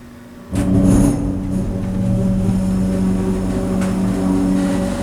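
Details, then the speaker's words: Montgomery hydraulic elevator, 4,000 lb capacity, Northpoint Centre mall: steady low hum with fixed tones like a strained pump once the car moves; abnormal noise, onlooker wonders if it's low on oil, cause unclear. "That did not sound good. Why did it make that noise like it was low on oil?"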